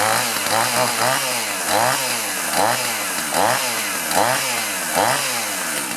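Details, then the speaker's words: Chainsaw (2-stroke) that sat over 5 years in a pickup's back seat; crisp revving in regular bursts, clean pickup and even drop back; runs healthy. "What I'm going to do is go ahead and start it up and let it run a little bit, make sure it's running right."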